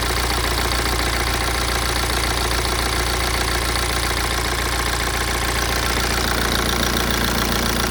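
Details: BMW E87 116d, N47D20C diesel, 220,000 km: steady diesel idle with loose, uneven rattle at about three to four beats a second; engine rattle at idle, owner suspects dual mass flywheel, unconfirmed.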